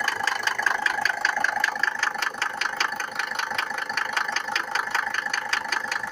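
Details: Mercedes W124 with OM602 2.5 diesel, cold: sharp, even metallic knocking two to three times a second over a thin cold idle; cold-start diesel knock.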